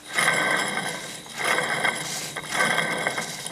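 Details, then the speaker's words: Vehicle water pump removed from engine, shaft turned by hand: rough dry scraping in bursts about once a second with each turn; bearings worn, unlike a new pump which stays silent. "Oh so actually here we just remove the pump off the vehicle itself here just to determine if the the bearings are actually gone"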